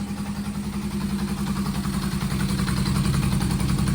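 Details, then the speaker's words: 1973 Honda CB500F four-cylinder after carburetor tuning with a vacuum gauge, restarted and idling steady around 1,200 then fine-tuned to about 1,500 rpm; smooth, even exhaust pulse with no misses. "and we have a running bike idle is about 1,200 and it's staying there and [Music] then you can fine tune it a little bit with that it's about [Music] 1,500 which is good sounds good"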